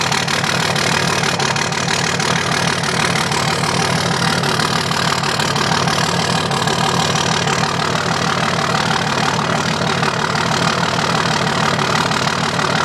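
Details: 2005 Dodge Cummins diesel with rough, loping idle, uneven beat about three a second and a missing pulse; dead cylinder misfire from a bad injector not firing.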